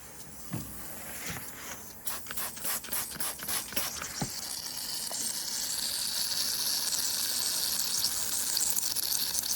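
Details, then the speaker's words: Yamaha RD400 two-stroke, engine off, crankcase hand-pumped for a 6 psi pressure test: pump clicks, then a steady, growing hiss as pressure drops quickly. Air leaks past a likely distorted rubber carb intake boot; crank seals will be checked if resealing fails. "It's just dropping so quick. Yeah, you can hear it. Hear it hissing."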